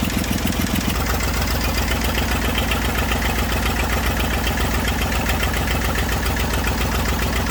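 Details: Massey Ferguson 35 diesel tractor, sat in woods 20+ years, revival start with leaking radiator, water and fuel leaks: steady, even low chug at idle, regular beat, no knocks or misses; running normally.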